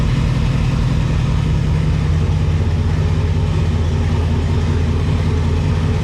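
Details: V8 idling after idler pulley and RC steering stabilizer install; deep, even rumble with no squeal or chirp, belt drive running quietly; normal idle.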